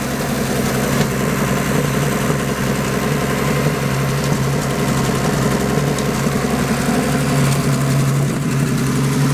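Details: Turbocharged 250 after rebuilding its turbo with a budget eBay kit, first run: steady, even low rumble with no misses or knocks, settling into a smooth, healthy idle; owner says idle had been very unstable, now much better.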